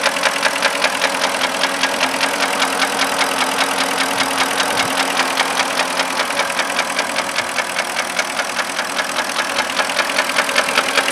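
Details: 2005 Porsche Cayenne 4.5 V8 at idle: a sharp, steady ticking knock over the engine hum from stuck hydraulic lifters, with misfire and camshaft position sensor faults. Solved; not piston slap.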